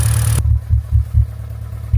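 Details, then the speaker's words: Hyundai Elantra GT idling with the engine shaking, heard at the exhaust: low, uneven puffs about four a second, one cylinder misfiring, suspected spark plug or ignition coil, both later replaced. "You can hear it popping there, puff, puff, puff, puff. You can see it coming out the exhaust area. Yeah, she's missing."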